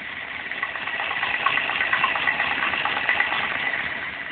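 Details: Kawasaki ZZR1100 (ZX-11) inline-four at idle: an irregular light knock over the engine note, heard around the first cylinder when the bike is leaned to the right, cause unknown.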